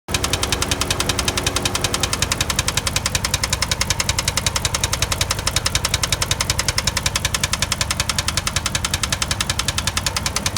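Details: 2005 Chrysler 300C 5.7 Hemi at idle: a sharp, even tick about three and a half times a second rides over the idle; steady top-end tick, cause not yet pinned.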